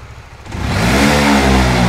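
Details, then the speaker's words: Honda Winner V1 (2015–2018) motorcycle, no error code: idles normally, but on opening the throttle the revs climb slowly and hang flat, bogging heavily; cause found to be a faulty throttle position sensor. "Đầu tiên thì mình sẽ nổ máy xe anh em thấy là để ga công ty rất chi là bình thường đúng không anh em nhưng mà cái ga lên là nó sẽ bị hụt ga anh em nhé anh em nhé"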